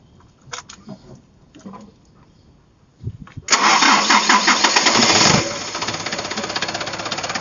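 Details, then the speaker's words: Mitsubishi Canter turbo diesel, first start after refitting a turbo that leaked oil, intercooler not yet refitted: cranks, catches, revs hard with a rising whistle over the diesel clatter; turbo whine getting louder, spooling normally. "ya suaranya makin menjerit ya untuk suara turbonya makin menjerit"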